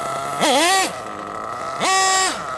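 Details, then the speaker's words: RC truggy nitro engine with the low-speed needle leaned out too far; making a little noise, whine dips and stumbles on throttle blips before climbing: too lean, hesitation on acceleration. "So if you notice, it's making a little bit of a noise, but also when I accelerate it will hesitate, and that's when you know it's too lean."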